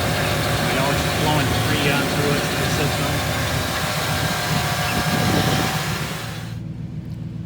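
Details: 1995 Chevrolet Impala SS idling on a warm day with A/C switched to max after replacing the low pressure switch; steady hum, then the load noise suddenly drops away near the end, as if the A/C compressor clutch cut out. Owner suspects the compressor is shot; fix didn't work.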